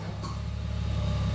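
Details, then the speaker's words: Ford BF Falcon F6 Barra engine after swapping noisy camshafts for a better set; deep even idle rumble, steady beat, no top-end ticking; lifters bled themselves down, running fine. "right there we go guys we have replac the cams and the motor is running fine"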